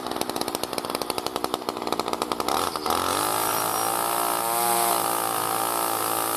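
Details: New B&Q 25cc petrol two-stroke strimmer cutting grass after a choke-assisted start with choke now open: quick pops, then a high steady scream dipping slightly as it bites grass, running cleanly. Normal running under load.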